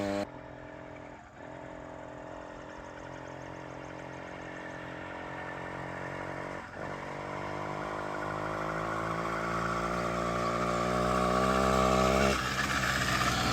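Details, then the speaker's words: 66cc two-stroke motorized bike engine started after sitting three years: buzzy, chainsaw-like note climbing steadily in pitch as it revs, firing regularly without stumbling; running fine. "Sounds like a chainsaw. You'll do strokes. He's fun. Well, I'm glad we got it up and running."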